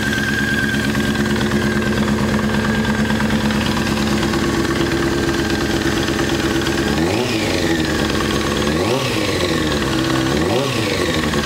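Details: Honda F4i engine at idle after a new OEM cam chain tensioner: light quick ticking over four-cylinder hum, persisting as revs blip up; engine tick of unknown origin.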